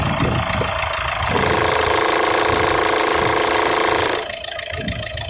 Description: I heard this awful loud noise coming from the engine of my 2008 1.6hdi diesel Peugeot 308. At first I thought it was something very serious and then I found a split in the upper heat shield just where